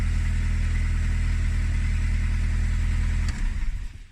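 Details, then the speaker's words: VW Polo parts car's 100 hp BBZ engine, with a worn starter and a slight top-end tap: smooth, steady engine note held at high revs with no misses or knocks, then switched off. Runs well with plenty of power. Normal engine revving. "so yeah it runs really well um there's plenty of power"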